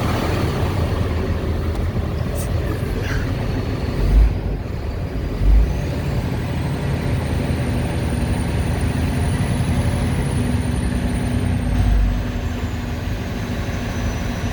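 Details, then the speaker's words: Freightliner M2 106 Cummins diesel after the squeal repair: deep rumble with clean turbo whistle rising smoothly then easing off; normal turbo spool, squeal gone. "We're good. That's the turbo spooling up."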